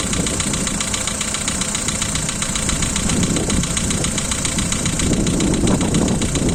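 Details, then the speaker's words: Volkswagen Polo 2012, 1.6 CFNA engine, cold start idle: quick, even tapping about four a second over the engine, one lifter slapping loudly and a couple faintly; hydraulic lifter tick that stops once warm. "Volkswagen Polo, 12 год, мотор 1.6, холодный старт. Поехали, заводим. Один сильно шлепает конденсатор и парочку немного."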